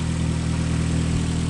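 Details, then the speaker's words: Petrol engine after replacing all rod bearings (main bearings not changed) to cure heavy rod knock on rod number 1: steady even idle, low rumble, no knock, slightly raspy exhaust. "We had big time rod knock. Look now, nothing. No rod knock at all. That's how you fix it, man, straight up."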